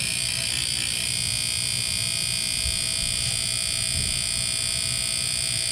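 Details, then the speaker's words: Trane furnace that won't heat and whose fan didn't run: tapping the control board sets off fast, even clicking about four times a second with a harsh buzz. Suspected sticking relay inside the board, not confirmed. "Tap the control board, it's going to start making a loud clicking noise. I think it's a relay inside the board that's maybe getting stuck and trying to come on."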